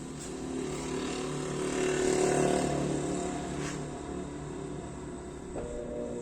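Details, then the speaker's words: Brastemp washer after pushing back a bushing that had slipped inward and fitting new seals (previously scraping in spin): smooth steady quiet spin hum, no scraping or knocking. "Olha o barulho dela. Tá, eu não sabia que aquela bucha ela entra pra dentro, não, velho. Tá parecendo máquina de apartamento."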